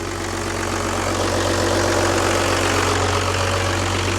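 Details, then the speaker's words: Newly bought Dodge Cummins six-cylinder diesel pickup, just started with the accelerator held slightly open after all six injectors sprayed: deep, even clatter at a low steady idle, no misses or stray knocks; sounds really good. "sounds good sounds like a cumins no that sounds really good"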